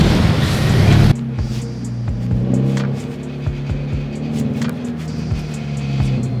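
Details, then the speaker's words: 2013 Subaru BRZ idling on its existing exhaust, believed to be a custom single-exit straight pipe, before a GReddy EVO GT install: irregular tinny clicks and buzzes from underneath, a loose exhaust part rattling badly. "That rattling is so bad. So, today we're going to get that fixed."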